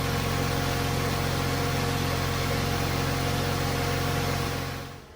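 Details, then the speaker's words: Mercedes W124 idling after refurbished monoblock wheels fitted: steady, even low drone with no misses, knocks or hunting before fading; engine runs smoothly. "that engine runs so smooth"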